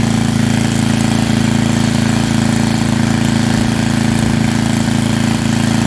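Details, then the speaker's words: Estate-sale generator, likely under 20 years old, after a tune-up that flushed fuel at least five years old and dark brown, took apart the carburetor and changed the oil: a steady, even beat holding constant speed, with no misses, surging or knocks. Normal running. "i took apart the carburetor and it runs now pretty nicely definitely worth the money it puts out power"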